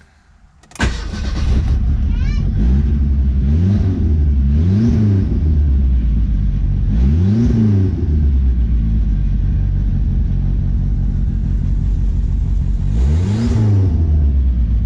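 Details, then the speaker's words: Ford Sierra/Merkur engine completely out of timing, running rich with fuel smell: fires and settles into an uneven idle with an occasional hiccup and slight surging; rough running. "it runs a little rough it has a little hiccup kind of sounds like um and it's definitely running rich you smell gas"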